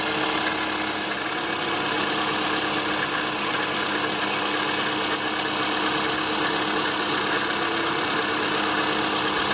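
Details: Toyota Estima ACR30 at idle: a steady, busy, tinny shaking rattle, very loud with revs. It came from the pulley and tensioner; the AC compressor had failed and was leaking oil, and a rebuilt compressor fixed it.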